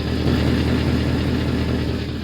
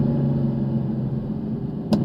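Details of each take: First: Mercedes-Benz C63 AMG V8 idling low and steady: quick raspy puffing tick under the rumble from an exhaust leak underneath. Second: Mercedes-Benz C63 AMG V8 idling with a deep, even rumble, no knocks or misses, and a couple of brief clicks near the end. It runs and shifts great, though it is due for service. Normal V8 engine running.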